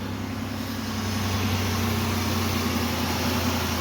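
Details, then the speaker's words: 2008 Pontiac Grand Prix 3.8L V6 idling after replacing the ignition control module, which fixed a misfire on cylinders 2 and 5 that new coil packs had not cured; even, steady hum with no stumbles, misfire gone. "all right no hesitation smooth as butter everything's running right got to love it when a plan comes together"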